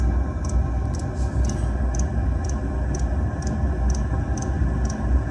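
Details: 2 kW Chinese diesel heater starting up during a fuel test: steady fan rumble with a crisp tick about every half second from the dosing pump; normal startup.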